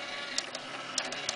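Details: Dell Dimension 2400 CD drive that previously stuck and made a loud noise, now running with a light whir and a few quick sharp tray clicks, with no grinding or rattle; it sounds normal.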